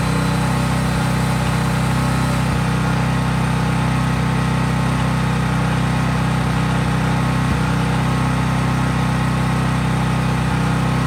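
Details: Craftsman 5000-watt generator outdoors after a cold start, at full governed speed powering just an LED bulb, so effectively unloaded: a loud, even, unwavering drone without surging, hunting or knocks. Healthy no-load running.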